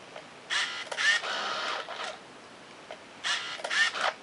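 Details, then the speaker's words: Yashica T4 Super D functional test, shooting without flash: two quick bursts of high motor whir each ending in a tick as film winds and the counter advances normally. "we can hear the motor whines the film quickly and then counter advances"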